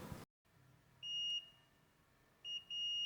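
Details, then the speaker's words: Multimeter in continuity mode: high beep sounds briefly, cuts out, returns in broken bursts; inconsistent beeping means resistance or a break inside, cable possibly damaged or not well plugged. "However, if there's resistance or a break inside, it will beep inconsistently or not at all, meaning the cable might be damaged or not well"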